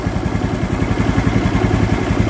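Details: Honda Vario 110 with no electrical power, a battery that would not charge and a new regulator; with no button pressed, a steady low churning whir with fast even pulsing. The starter relay inside the CDI has shorted and stays engaged.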